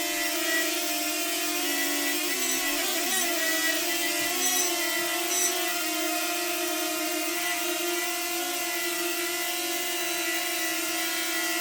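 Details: DJI Flip Fly More Combo drone: steady high propeller buzz that wavers into an odd intermittent whistle or "sneeze" when the drone is moved; owner suspects a factory issue and sent it to DJI for checking.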